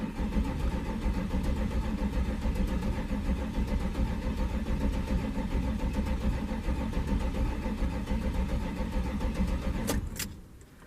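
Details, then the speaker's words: 1993 Chevrolet C1500 Silverado with swapped Corvette LT1 V8, first start attempt after key cycled to prime fuel pump (pump heard running): starter churns unevenly about ten seconds, never catches, cuts off; abnormal cranking, no start. "okay something's not happy I'm going have to go take a look"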